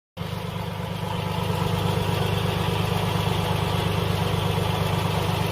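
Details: Car at idle with antifreeze leaking from beneath the water pump pulley: even idle with a rhythmic low churn about twice a second from the pulley area; failing, leaking water pump.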